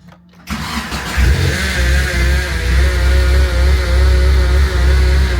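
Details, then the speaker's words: Nissan 240SX SR20DET drift car, first start after swapping the 5-speed transmission and upgrading the clutch: lumpy uneven idle with a wavering whine, cause unknown; afterwards the clutch felt spongy and wouldn't go into gear. "That don't sound good. I don't know what that is. That sounds terrible."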